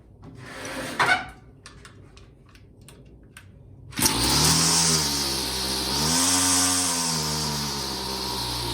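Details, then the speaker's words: Homelite string trimmer (weed eater) that would not start, after cleaning dirt from the carburetor: pull-start clatter, then a rough, burbling note that sags and wanders instead of revving crisply; running rich, mixture to be leaned via low/high adjustments. "all right sounds like it's a little rich we're gonna lean it out a little"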